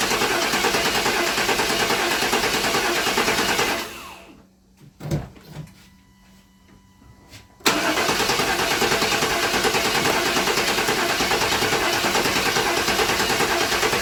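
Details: 1997 GMC Yukon 5.7 L V8: steady cranking at about three turns a second with no catch, cut by a quiet pause; cranks but won't start, fuel injectors found clogged.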